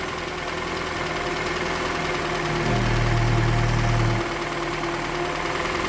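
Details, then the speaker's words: 2013 Toyota Venza 2.7L, first startup after engine install, no coolant: steady idle with light, even tick about four times a second from low in engine; balance shaft suspected, not confirmed. "I don't like that little noise that it got, but it might just wind up being the balance shaft. They do make noise at the bottom, you know."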